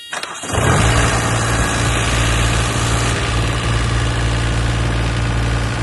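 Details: Green APU diesel unit on a semi truck right after a DIY oil change (4 quarts); it catches quickly and settles into a steady, even idle with a smooth low drone and no knocks or misses; normal idle.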